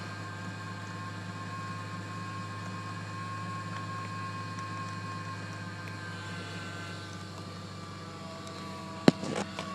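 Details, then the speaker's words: 2007 Chevy Trailblazer LS, 112,000 miles, idling with the AC off and no check engine light: a steady thin high whine over the idle. The owner suspects the alternator or an idler pulley; unconfirmed. "but they are loud and I want you guys to know not to be alarmed by that noise if your trailblazer is making it. Um you may want to get your voltage checked. Your alternator is probably the indicator or check your pulley."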